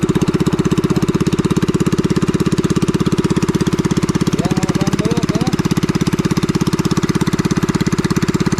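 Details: Farm pressure washer's small single-cylinder engine after repair; it would not start following heavy rain the night before. Now it chugs evenly at about two hundred beats a minute, a steady note with no misfires: running healthy.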